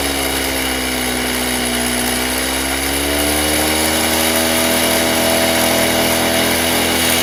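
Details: Stihl TS350 Super cut-off saw, two-stroke, restarted after rebuild with new cylinder, piston, crank bearings and seals: high-pitched buzz climbing steadily as revved, slightly uneven pickup; boggy running, mixture screws need adjusting.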